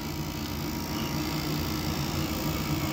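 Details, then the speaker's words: Goodman furnace (about 2009) on a no-heat call, inducer running after pressure switch replaced: a little quieter but still a steady whirring drone with low uneven rumble; noisy inducer motor, replacement planned. "Sounds a little bit quieter, but still. We're just going to pop the new motor in."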